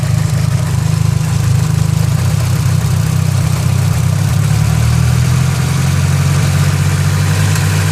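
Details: Nissan SR20DET idling with a deep note that wavers and stumbles occasionally, a suspected misfire. The owner suspects the idle control valve and notes slow pull-off in 1st gear until a kick around 25 mph.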